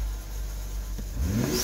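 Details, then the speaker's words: BMW turbo engine after fuel supply diagnosis (low-pressure sensor had been stuck reading 98 psi), now with no fuel pump codes: a sharp, clean climb on a throttle snap with a rising turbo spool whistle; healthy response. "snap that throttle for Lister that turbo spooling up oh good"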